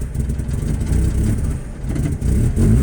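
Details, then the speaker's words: 1999 Saturn SL2 with sudden bad misfire chugs and surges, needing throttle to keep running or it dies; fuel pressure 50 psi, new ignition module and plugs, coils in spec, codes including P0404/P1404. "here we go you see I got to be on the gas just keep it running that's got a really really rough idle to where it won't even I had a lot song Steve I let off the gas at all or"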